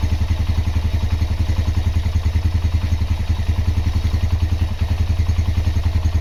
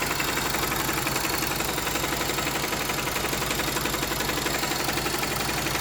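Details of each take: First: Honda GL Max Neotech engine after full restoration/rebuild: even, steady single-cylinder idle at about three and a half beats per second with no knocks or rattles; normal idle. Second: Honda GL Max Neotech engine before teardown, owner complaint of harsh noise from head and clutch area: steady idle with busy clatter over the beat, rough top end; stiff timing chain link and scored rocker arm found.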